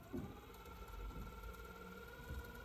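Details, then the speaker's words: Teac cassette deck playback after a repair that fixed noise on every reel turn: faint even motor hum with soft steady tone, no scraping or thump; transport quiet as it should be. "okay so but it's extremely quiet now you're more here yourself playback"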